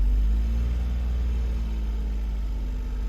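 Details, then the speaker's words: 2011 Smart Fortwo after coolant temperature sensor replacement and cylinder 1 coil replacement, cold start at 31 degrees outside, no air filter fitted: low, steady, smooth rumble with no misfire stumble; idling normally, codes not yet cleared. "seems to be running better i will have to uh plug in and clear out the code see if maybe all the codes are still in the system causing it to act up"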